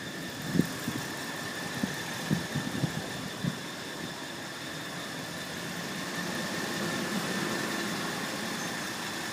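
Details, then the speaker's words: 2006 Dodge Ram 1500 Mega Cab 5.7 Hemi, warm: thin, steady high squeal over a smooth idle, unchanged with engine speed and present with the belt removed; loudest at the exhaust under the truck near the transmission, source unknown. "The engine sounds good. Where I'm getting the most sound of it is coming off the exhaust right [Music] underneath next to the transmission."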